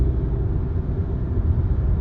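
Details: Mercedes C230 at 40 mph rising toward 65 after fixing driveshaft noise (rubber piece at driveshaft expansion joint hitting heat shields), AC off: steady low road rumble, no clunks or vibration; driveline quiet.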